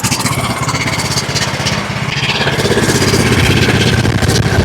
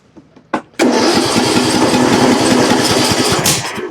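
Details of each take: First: John Deere LA105 riding mower with 74 hours that ran only on choke, restarted after carburetor work: a single-cylinder thump, slow and slightly uneven. The idle is set too low and is then turned up until it runs smoothly. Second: John Deere LA105 with 74 hours, which ran only on choke, after its Nikki carburetor was replaced with a Walbro: a few cranking puffs, then it catches and runs steady and even for a few seconds before dropping off.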